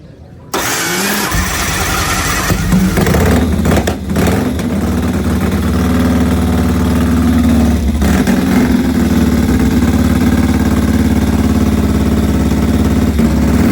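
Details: AJS 1000cc overhead-cam world record breaker built 1929, 138 mph record attempt 1931 at Agen, France: fuel and oil on, catches first try and settles to a steady, even idle with a crisp beat, no knocks or missing; runs exceptionally well.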